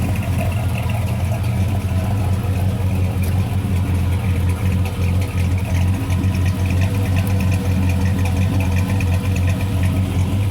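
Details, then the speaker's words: 1994 Chevy Silverado work truck with newly installed 400 cubic inch V8, possibly with a gear-drive timing set, heater hose leaking coolant: deep, steady, even V8 burble at idle with no knocks, misses or rattles; normal idle. "But listen, this thing sounds awesome. I'll be honest with you."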